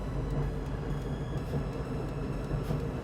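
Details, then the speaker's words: LG dryer after lint clean-out and squeaky rear roller replacement, reassembled and run on normal heat: steady, even low rumble of the tumbling drum, no squeak or thumping; running normally. "Okay, so let's turn this guy on. We'll run it on normal so we can get some heat going through there. Sounds pretty good. Perfect."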